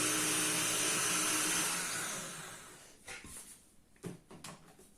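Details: Paper shredder after a jam was cleared, running in reverse: a smooth, even whir for about two seconds that winds down freely with no binding or labouring.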